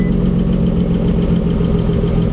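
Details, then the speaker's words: Boosted 600 whp Nissan 370Z Nismo idling with clutch pedal pressed; sharp even tick about seven per second from a noisy lifter, owner says not rod knock and not clutch. "that's a lifter now it's not the clutch cuz I have the clutch prle pressed in"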